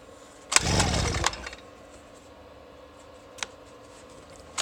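One pull turns the little two-stroke over for under a second, then nothing catches; it cranks but won't start.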